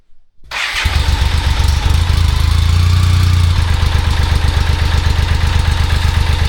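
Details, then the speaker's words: 1995 BMW K75RT after sitting about 8–9 years, with a new Z intake pipe fitted that made no difference: starts but settles into a lumpy, stumbling idle that won't hold low RPM; rough idle. "It'll start, but it's not happy at idle. It doesn't want to be at low RPM."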